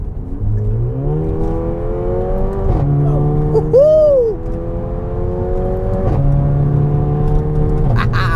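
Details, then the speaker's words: Mercedes A45 AMG (W176) with M133 engine fully rebuilt a week earlier plus performance mods, first test drive; launch control inoperative due to a faulty suspension control unit: engine climbs cleanly through revs with crisp shifts, no knocking or rattling; healthy. "the most amazing part of this whole experience for me is the fact that every single component in this engine was in my hands and now from assembling parts I've created a fire breathing machine just listen to this"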